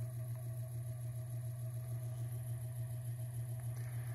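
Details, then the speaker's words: 1924 Emerson 45041 DC ceiling fan, restored motor running at low speed without blades, freshly oiled bearing stack, drawing 0.28–0.29 A, 33 W: low steady hum with only soft commutator brush shush, no bearing noise; normal running. "now it has a little bit of oil in it the bearing stack seems happy i don't really hear any bearing noise i just hear the shush of the commutators"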